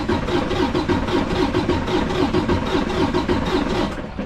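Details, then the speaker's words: Detroit DD15 diesel during relative compression test, also with a bad crankcase breather: slow, uneven cranking at about 75 beats a minute with the starter bogging on some strokes; cylinders four and six show zero compression; valve adjustment may be tried. "so we definitely have cylinders four and six completely zero compression zero percentage"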